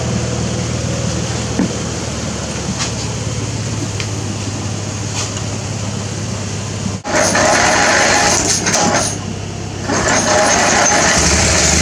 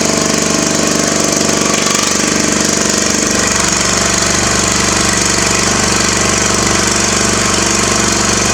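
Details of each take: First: Riding mower after carburetor cleaning, draining water from the fuel tank and greasing the starter: steady low drone with no misses or surging, then a louder open sound; normal running. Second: Craftsman mower small engine with muffler removed: loud raw rapid popping exhaust, running steadily unmuffled.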